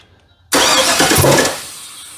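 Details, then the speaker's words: 1965 Chevrolet C10 cranking after the distributor hold-down was swapped, possibly slipping a timing-belt tooth: a loud sudden pop bursts out as it cranks, then fades with no catch; ignition timing way off. "Uh that sounds like a timing's way off. It just popped terribly bad."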